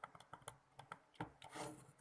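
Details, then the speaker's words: Xbox One controller left trigger pressed: sharp plastic clicks, about eight in two seconds, with brief scratchy rub; trigger otherwise works fine in games, intermittent, unfixed after opening the controller. "so yeah there's actually no problem while playing games but it's just making this noise so yeah"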